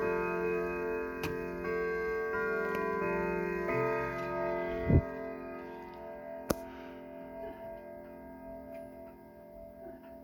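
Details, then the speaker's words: Sligh triple-chime clock, fully repaired, striking the hour on the Westminster chime. Steady, even ticking about 220 beats a minute under a ringing multi-note tune; runs and strikes cleanly. "as you can hear it sounds really well but hang on there we are okay so you heard westminster"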